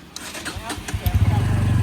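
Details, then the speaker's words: 1-year-old 2023 Bajaj Pulsar N160 BS6 with intermittent self-start failure, previously push-started: short starter whirr, single fires and catches into a steadying idle; starts fine this attempt, fault not showing, cause unknown. "यहाँ से आवाज़ आ रही है और फिर से यहाँ से सेल्फ मारा भैया ने और स्टार्ट हो गई है।"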